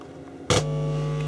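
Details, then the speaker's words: Technics SU-V303 amplifier with one dead channel, on isolation transformer, screwdriver touched to the input: sharp click then steady low mains hum on the working channel; healthy amplifier channel, fault suspected as a break feeding the front end. "that's the channel it's working and that's the other channel now so clearly amplifiers working"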